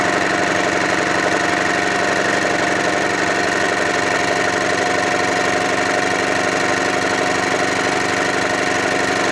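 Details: Honda generator cold start after sitting about three months: smooth, even drone at constant speed with no surging, misfires or knocking; runs healthy. Normal running.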